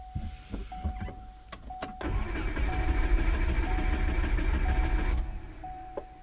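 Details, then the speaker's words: 2002 Subaru Forester cranked with the ignition fuse pulled as an ear compression check: steady, even chug of about three compression pulses a second with no weak cylinder; healthy cranking. "I just pulled the ignition fuse we'll see how it sounds when cranking"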